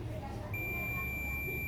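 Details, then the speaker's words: Oster auto-reversible blender control board repair, multimeter continuity test on switch button contacts: steady high beep holds, contacts conduct, button is good. "En cada acá tiene que pitar también, y si no pita, pero oprimido. No lo hago porque es difícil aquí con una sola mano, pero este está bueno."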